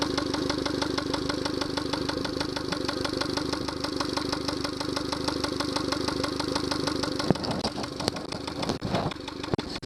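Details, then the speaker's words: Yamaha 70 hp outboard at idle, no alarm: rough uneven idle with rhythmic knock about three times a second — fuel starvation because a Honda fuel line connector was used instead of a Yamaha connector. "There's some knocking sound. I don't like that. Some knocking sound. Remote control, there's no alarm. Well, there's some knocking sound that you can hear."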